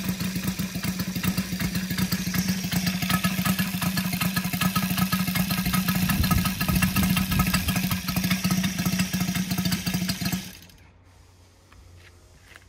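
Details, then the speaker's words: Brand-new Saito FG-73 five-cylinder radial, fully upgraded with MMM hardware, swinging a Biela 20x10 four-blade prop (600–5500 rpm). It gives a throaty multi-cylinder bark with a steady even beat, strong and unbroken until it cuts out. Normal healthy running. "as you can see uh engine starts lovely and very easily as well um exhausts really finish it off make it sounds uh pretty healthy"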